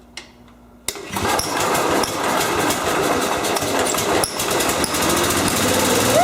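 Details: Kohler K-Series engine after a crankcase-pressure fuel pump repair: the small single catches after a pause and settles into a steady, even, high-pitched run with no misses; running normally.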